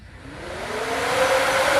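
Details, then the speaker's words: Newly installed electric radiator cooling fans after the engine reached about 200°F normal operating temperature. A smooth whir climbs in pitch as the fans spin up. They keep running until the probe reads under 165°F; normal operation. "all right you can hear the fans still running in the background this thing will keep running until the temperature of the temperature probe is under 165"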